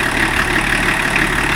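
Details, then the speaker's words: BMW E34 TDS diesel after its first service in over ten years, idling with a slightly slipping wet belt: steady hissing, puffing blow over the engine note from a leaking EGR pipe. "G: Oh, here it comes! Yeah, this EGR pipe is blowing by like there's no tomorrow!"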